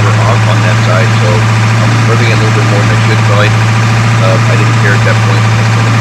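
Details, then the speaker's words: 2002 Ford F350 7.3L diesel, 238K miles, after injector cup and o-ring replacement and new harness: deep, steady idle with even rumble, no knocks or misses, some smoke clearing; runs fairly smooth. "but it's running. And it runs fairly smooth, actually. So I think we have success on that part."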